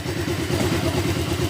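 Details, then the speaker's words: Honda Click 125 scooter with the pulley removed, so no drive to the transmission or rear wheel; a rapid, even tug-tug-tug thudding clatter at idle, like grinding inside the engine. Suspected wrong parts or wrong assembly. "Tapos yung tunugan niya, kala nyo mayroon siyang parang may ginigiling sa loob na yung parang tug-tug-tug gumaganon."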